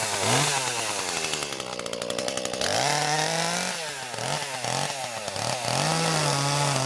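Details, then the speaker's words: Chainsaw unused since about early December: revs up, then pitch sags and rises as it bogs and nearly dies while cutting under load. "I don't know if you can hear that running but it's a kind of bond out in dying a little bit I haven't used it since probably first of December"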